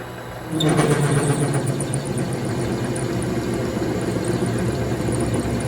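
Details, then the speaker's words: Vevor MX 400 mini lathe parting off a steel rod with a freshly ground high-speed steel blade: steady spindle hum, then rough buzzing chatter as the tool bites, possibly caused by the thick blade (suspected). "Again, that could be the thick cutting blade that I have causing that chattering."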